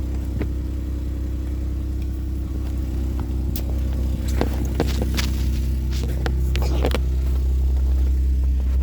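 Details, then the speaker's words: High-mileage used car at idle: loud, deep throbbing rumble pulsing about three times a second with hollow low roar; seller-disclosed exhaust leak, judged serious, not small. "आप ये देखें, ये आवाज़ सुने, exhaust leak है। इन्होंने पहले ही हमें बता दिया था कि एग्जॉस्ट लीक है।"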